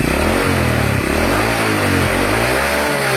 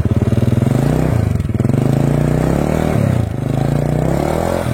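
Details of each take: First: Honda Supra 100 (Supra X, manual clutch) engine revved hard sounds harsh and clattery, with oil coming from the spark plug hole and white exhaust smoke when revved; combustion chamber found wet, rough engine from oil starvation. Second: Honda Supra 100 after new piston, piston rings and valve stem seals to cure rough running, oil from the spark plug hole and white exhaust smoke: small single revs settle back cleanly, even beat, no knock or rattle, no exhaust smoke.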